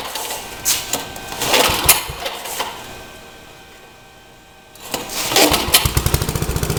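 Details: Rebuilt Troy-Bilt tiller, next day, after choke fiddling: sputtery start, brief lull, then steady quick single-cylinder putter; owner unsure of choke combination but it does start and runs good.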